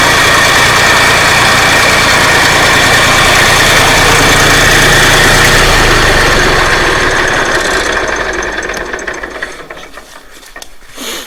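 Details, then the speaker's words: 1963 Fordson Dexta diesel tractor, normal cold idle at about minus 2°C after start, out of gear, during clutch-problem restoration: loud regular clatter about three beats a second, steady and even, then dying away; runs fine. "that's not bad considering the temperature is low freezing here at the moment it's probably about minus 2 so I don't think that's too bad for an old 1963 Sunter"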